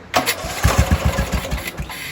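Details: LT Johnson engine after valve lash adjustment (0.004 in), previously hard starting: a few quick compression pulses on the starter, then fires and settles into an even run; starts much easier, normal.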